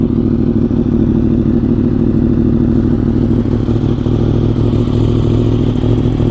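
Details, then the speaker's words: 2015 Yamaha R1M inline-four, about 10 years old, after new spark plugs, cleaned air filter and fresh fuel, compression checked good: even, steady, smooth idle with no misses or knocks and no stalling; normal idle, engine not blown. "Doesn't stall. Yeah, so I think it sounds good. Prove that the engine is not blown."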